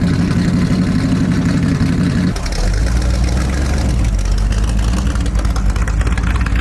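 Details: 1970 Chevy Nova small-block V8 race car (Turbo 350 with shift kit), just started after long disrepair: loud deep burble catches after a blip, then steady even idle with no knocks or misses; normal idle.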